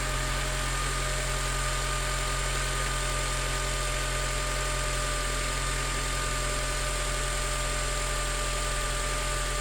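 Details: 2006 Acura TSX 2.4L K24 idling after new alternator install, charging now over 14 V: steady even hum with faint constant electrical whine, no knocks or squeal; healthy running.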